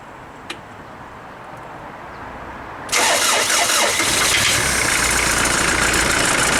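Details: 1996 Mitsubishi Delica L400, 2.8L 4M40 diesel, first start the day after head gasket replacement, battery charged overnight: quiet moment, then catches abruptly and settles into steady, even diesel clatter; starts and runs normally.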